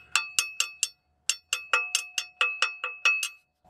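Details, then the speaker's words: 2009 GMC Sierra 1500 5.3: gear tapped through the access port gives sharp metallic pings about twice a second with engine off, mimicking the suspected flex-plate noise; actually starter pinion contacting flex plate (missing snap ring), not cracked flex plate. "if you want to check if this is your problem open up this little access port and just tap the gear"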